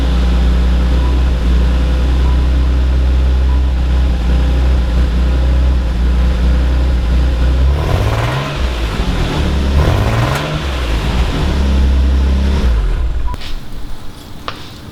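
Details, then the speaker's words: Nissan 300ZX cold start: idle carries a faint uneven rumble and some exhaust popping under the steady beat, then a few throttle blips; rough idle, cause not yet found (O2 sensors already checked). "so if you guys could not tell from that you could hear like a little bit of a rumble so that's how you'd notice it was a rough idle"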